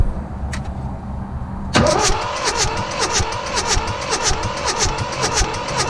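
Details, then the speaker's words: Mitsubishi D1800 tractor, KE95 diesel with ND injection pump being overhauled, crank no start: starter churns about two compression beats per second, never fires; pump primed, fuel on, but no fuel from delivery valves; timing and fueling trouble. "we should see fuel squirting out of there there's a key I'm gonna crank it again have a look we got nothing"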